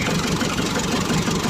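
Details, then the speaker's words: Mk5 Ford Transit chassis cab diesel, first start after sitting from November 2023 to January 2024, with a self-made exhaust stack behind the cab: a steady, even idle with a loud but regular low chug and no knock or miss; the engine is running happily. "okay I don't know whether you can hear me but this is the transit engine running Happy"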